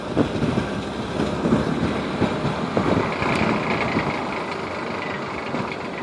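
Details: Mercedes W210 running with irregular light rattling and clicks over busy car noise; the rattle's source isn't clear.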